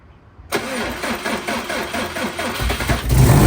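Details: Freshly installed engine in an 04 Subaru, first morning start after filling oil and coolant and bleeding overnight: short crank catches cleanly, revs climb, then settle into a steady, even idle; normal start. A coolant leak was later addressed by tightening a cylinder-4 cooling-mod fitting, believed fixed.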